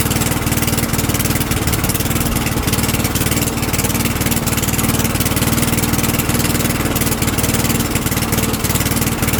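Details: Craftsman lawnmower single-cylinder engine, oil just topped up to the full line: it runs at a steady, even beat with no misses, surging or knocking. Sounds healthy.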